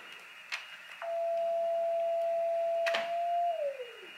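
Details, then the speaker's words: 40 m QRP CW Pixie kit on a 14 V adapter (meant 12 V): a steady unbroken tone near 700 Hz holds about 2.5 s instead of keyed CW, stuck transmitting; defective or burned transistor suspected, not confirmed. "it's a solid tone maybe my wires touching no it's not"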